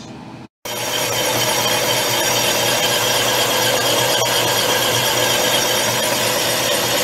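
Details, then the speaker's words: Old Atlas 10 inch lathe boring a motorcycle cylinder with a homemade boring bar at very slow speed on automatic feed: steady, even cutting hiss, no rattle or squeal. Clean cut without chatter, about five thousandths taken. "sounds like it's cutting pretty good no chatter that's a good thing"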